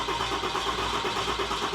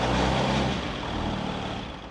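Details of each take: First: Newly installed built 6.7L Cummins diesel (Tow Monster Plus), first start attempt after oil, coolant and power steering fluid filled and key cycled to prime: even starter churn with steady compression pulses, never fires; cranks but won't start, air in fuel system. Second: Newly installed built 6.7L Cummins diesel (Tow Monster Plus) in a truck, first run after air bled from fuel system: deep even rumble easing down after a touch of throttle, no misses or knocks, running smoothly.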